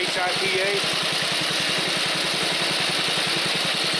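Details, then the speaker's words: Snapper commercial mower with a new HIPA aftermarket carburetor, cold engine taken from idle to wide open throttle: steady rapid beat about eight per second with a loose clatter underneath from worn bearings in the drive system. "This old mower's about wore out. It's got some bearings out in the drive system back in here. That's what's clattering."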